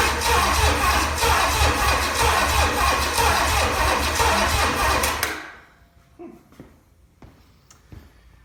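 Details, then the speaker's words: Original, never-overhauled, very-low-mile 1968 Buick 430 V8 from a '68 Riviera, first start attempt after pre-oiling: it cranks at about three even beats per second for five seconds but never fires. No spark. "Well, I'm gonna have to figure out why it's not making a spark."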